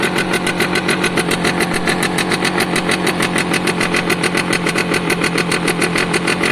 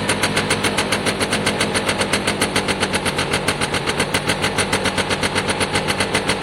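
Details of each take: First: Piaggio Diesis 100cc two-stroke scooter idling, with oil pulsing through and pulsing harder when revved. Steady idle with sharp, crisp puffs about three a second; small exhaust hole visible, another heard but not found. Exhaust leak. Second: Piaggio Diesis 100cc two-stroke scooter, battery out; loud, crisp popping at about four pulses a second, picks up cleanly and sounds healthy.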